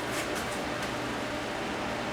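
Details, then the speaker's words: Rotel RDV 1040 DVD/CD player with no focus lock and no disc playback: faint dry ticks over a soft motor hiss as the disc spins but nothing reads; optical pickup problem suspected, not confirmed. "I heard a ticking sound there. Still not uh still not doing anything."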